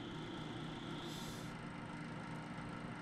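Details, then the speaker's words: Desktop PC powered on, checking graphics card, CPU, case and power supply fans by stopping each by hand: steady airy whir with low hum and faint high tone; case fan noise, suspected from slow, uneven fan rotation. "지금은 그 저 팬이 돌아가면서 바람 소리 같은게 나는데 얘들도이 바람 소리가 예를 들어서 소음이라고 생각하면 그래픽카드 CPU 그 다음 케이스 쿨러 그 다음 파워가 있으면 지금 거기서 한번 찾아보도록 할게요"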